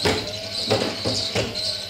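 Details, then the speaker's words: Wind turbine battery charge controller at 14.5 V DC: sharp relay clicks about every two-thirds of a second over a faint hum as it applies the turbine brake because the battery is full. "Bakın şu anda Aküyü doldurmaya çalışıyor belirli bir süre sonra yine tık tık yapıp frene basacak"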